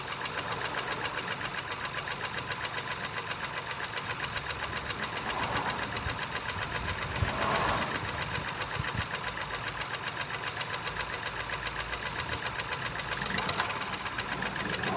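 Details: 2019 Ford Focus IV 1.0 EcoBoost petrol, B7DA, 998 cc, 125 PS, 91,787 km: uneven, lumpy idle with a steady thump about four times a second; misfire from no compression in cylinder 1.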